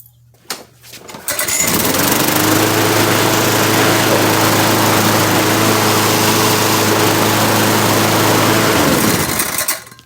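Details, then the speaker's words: Troy-Bilt TB230 self-propelled push lawn mower tested on concrete: small engine holds a steady, even drone with a smooth drive whir underneath. Transmission and belt fine, no new belt needed; normal self-propelled drive. "don't need no transmission belt. That transmission is fine."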